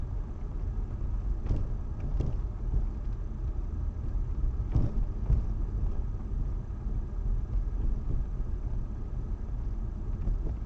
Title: Стук в подвеске